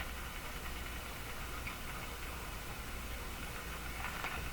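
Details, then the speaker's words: Northern Electric Baby Champ tube radio tuned between stations: steady hiss with irregular crackles and pops; owner guesses an internal tube breakdown. "that was here. It really sounds like a breakdown, like an internal tube breakdown, as a guess."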